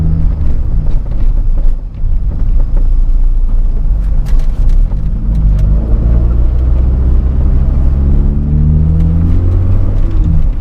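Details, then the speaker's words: 1993 Honda Del Sol SI, test drive after the targa top rattle fix: steady road rumble and tyre drone with no clatter or buzz overhead. The roof now sits quiet and the fix helped. "Alright, so test drive confirms that it actually helped."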